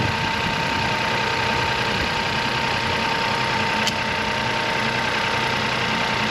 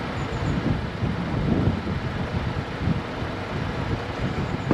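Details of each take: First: Crash-damaged Copart salvage car started on jump leads: engine settles to steady even idle, no knocking or stumbling over light hum; runs fine. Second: Crash-damaged Copart salvage car on jump leads: starter churns steadily but the engine never fires, though it nearly caught. A crash pyro fuse is suspected. Crank-no-start, cause unconfirmed.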